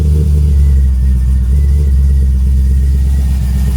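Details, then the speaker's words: Pontiac G8 idling after battery replacement, having sat unused a while: deep, steady rumble, smooth and even with no knocks or stumbles; normal idle, though owner notes it smells like it's burning a little rich. "Oh, that sounds so good. Doesn't smell good. Burn a little rich."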